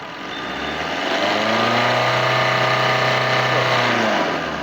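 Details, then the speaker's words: Diesel car after Bosch injector cleaning and repair, coding and machine testing, revved after trial drive: revs up cleanly and drops back evenly; earlier tak-tak knocking and poor pickup are now gone, engine smooth. "देखो एकदम properly race हो रही है, और पहले जो knocking की आवाज़ आती थी वो भी अभी बंद हो गई है।"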